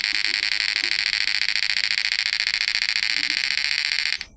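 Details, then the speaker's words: PDC 12 F mini stun device inverter after replacing MOSFETs FDP032N08 with FDP045N10: steady high electronic buzz pulsing evenly about 3.5 times a second; PWM, output and frequency normal. "Tapi alhamdulillah sudah normal ya. Yang penting PWM-nya nih enggak pincang, Guys. Out inverternya itu enggak pincang."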